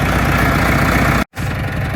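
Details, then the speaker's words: 1972 JCB 3C diesel, long-time non-runner, now started; even diesel clatter at steady idle with no stumbling or hunting, a smooth beautiful runner. "Oh, I'm so pleased with that. Listen to that. What a beautiful little runner."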